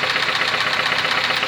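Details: Faulty engine running: rapid, sharp metallic knocking that grows in amplitude with rpm. Teardown shows the connecting rod with its bearing shells worn away, confirming rod knock.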